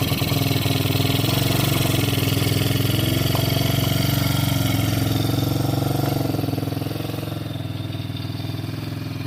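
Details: 110cc kids quad revived after 2+ years sitting outside, carb cleaned but leaking: uneven lumpy beat that never climbs, then sags; bogs and won't rev, owner suspects a misset throttle stop screw.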